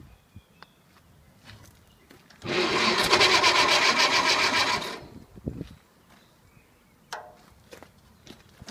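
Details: Later-model IH Farmall Cub tractor before a full tune-up, battery found dead: small engine catches and runs with an even rapid chatter for a few seconds, then drops away; no clear fault, condition unknown.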